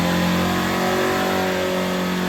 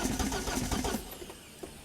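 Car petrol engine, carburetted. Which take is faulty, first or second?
second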